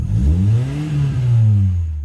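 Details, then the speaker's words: Car with exhaust leak, fumes entering the cabin: short rev rising and falling with a harsh, loud exhaust note; a blowing exhaust manifold gasket. "before we begin i have to check two systems. 1. Fumes coming into the cabin. 2. Loud exhaust sounds."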